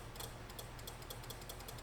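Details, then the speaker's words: 1950 Willys Jeepster with a new universal wiring harness: quiet sharp metallic clicks, about eight in two seconds, irregular, as the horn-button wire is grounded; the harness's pre-installed horn relay is switching normally. "I can hear the relay clicking."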